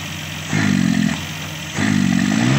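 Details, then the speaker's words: Multicab with Suzuki F6A engine, lacking power: two quick throttle blips, revs bog and waver near the top instead of picking up cleanly; hesitates on sudden throttle, fine when pressed gradually; cause unknown. "Ayun, nasinok siya. Nasinok. Dadaan-dahanin natin diin. Pag binigla, Pagdahan-dahan ng diin, okay siya. Pag binigla,"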